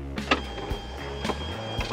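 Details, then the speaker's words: Motorized 21-inch TV lift in a VW Samba 23-window camper van, raised and lowered by a front button; soft even electric-motor hum with light clicks over background music; operating normally. "Dia sistemnya motorized, jadi dari tombol depan ini bisa naik turun untuk TV-nya. Nah, ini posisi naik, kemudian dia juga bisa posisi turun."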